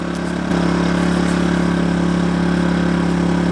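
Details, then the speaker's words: Kings 2kVA generator powering an air conditioner set to 16°C: the drone rises slightly in pitch and loudness as the load comes on, then holds smooth. Normal running under load. "right so I just put the airon on 16° it did get a little bit louder it's not offensively loud"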